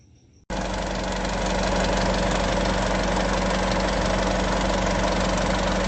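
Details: Isuzu 3.0 V-Cross 4x4 pickup, diesel, cold morning start: starts instantly into a steady, even clatter at idle, slightly louder after a second, with no misses. A normal cold-start idle.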